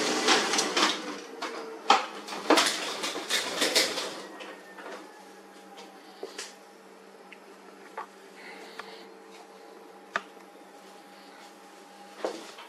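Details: HP LaserJet 4345 with worn fuser drive swing plate assembly (RM1-0043-000): harsh clattering and rattling, then steady hum with sporadic clicks; worn fuser drive causes loud noise and frequent paper jams, fixed by replacing assembly.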